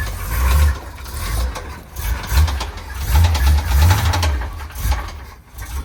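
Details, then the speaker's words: Square-body Chevy dump truck small-block V8, oil found about 3/4 low and topped up: rough running with heavy irregular bottom-end knock that surges and fades before the engine quits; rod bearing suspected, unconfirmed. "Everybody hear that knocking sound?"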